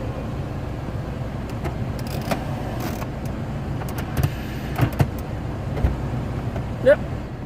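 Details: Peugeot 107 heater blower after repair, blower previously blocked by gloves sucked through a deteriorated cabin air filter: steady low fan hum under cabin clicks, no rattling or scraping; blower runs normally.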